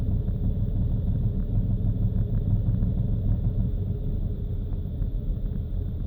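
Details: BMW cold engine at idle: deep rumble loping unevenly about three pulses a second with stumbling rpm, rough cold idle and stuttering caused by faulty fuel injectors.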